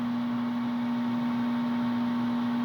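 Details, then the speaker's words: Home furnace not heating (64°F vs 68°F set), flame no longer lighting, control light flashing four times: steady low electrical hum with no fan rush; owner suspects the fan motor, unsure, not confirmed. "yeah that noise right there is what's bugging me I think it's the fan motor but I don't know to be honest"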